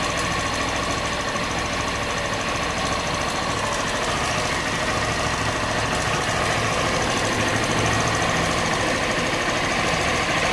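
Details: Honda Bros 160 at a steady idle with a persistent ticking knock at about three to four per second; it has been to warranty 4 times and the noise persists, engine knock of unknown cause.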